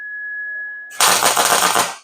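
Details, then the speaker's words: MIG welder tacking truck frame: high whine, then about a second of crackling, uneven arc with irregular pops instead of a smooth sizzle; settings off, wire speed turned down slightly, later switched to different wire. "It's not welding like I like it to. Still a little bit jumpy. Turn the speed down just a little bit."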